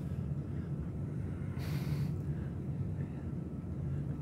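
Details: 38" FASCO Parlor ceiling fan on a test rig, light stuck on and speeds hard to change. Low, steady motor hum with no grinding, rumble or bearing ticking; the fan runs smoothly and sounds healthy.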